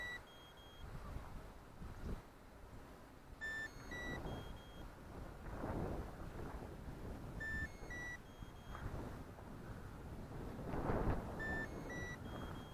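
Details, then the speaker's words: Traxxas Monster Energy drone carrying a Q6 camera, far out in flight: short bursts of rising high beeps repeat over wind and rotor hum, believed to be the geofence limit warning at about 150 m. "as you'll hear the beeping here I believe once we got so far far out I believe it's 150 meters geofencing"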